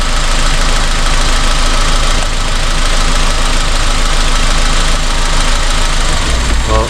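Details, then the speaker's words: 2002 Honda Civic, loss of power, codes P0300–P0304: loud lumpy idle with uneven thumps, rougher when a coil is unplugged, so that cylinder fires; one cylinder dead, misfire elsewhere. "Still feels like it has a miss."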